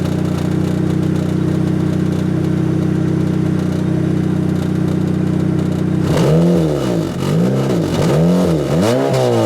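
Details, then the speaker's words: Turbocharged Toyota Celica with a TRD exhaust: idle and throttle blips, with a tinny rattle over the exhaust note as revs rise. Worn welds have cracked the muffler canister. The plan is to cut it off and run 3-inch straight pipe. "as you guys can hear it is uh rattly"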